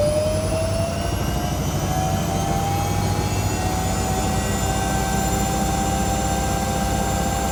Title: Washing machine sounds like a jet engine 🙈